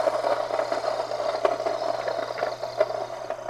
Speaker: this is really the finest setting that I would mill at because those stones are together to the point that the stone itself is creating friction with the other stone and you can hear it